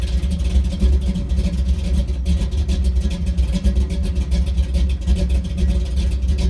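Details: 1983 Chevy C10 with a cammed small block and a carburetor with no choke, cold start in snowy weather: low, choppy thump with an uneven lope at idle, otherwise even; big-cam idle running normally.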